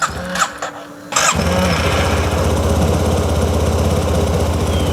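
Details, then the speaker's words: Yamaha TMAX scooter being restored after sitting, fuel injected, ignition just reinstalled: starter whirr, then a lumpy idle that barely keeps running. Owner suspects clogged injectors, or an air leak or fuel not getting through. "oh my God it's running barely it seems to be easier to pick up [Music] though I just get the feeling that the injectors are clogged"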